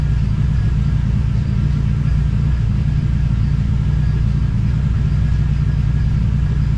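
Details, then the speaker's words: TVR Cerbera with rough running and random misfire: engine drones with uneven, lumpy low beat and won't run clean; owner considers disconnecting one of the two throttle position sensors. "okay well I guess you can see that's not going that great um starting to wonder if I should disconnect one of the throttle throttle position sensors"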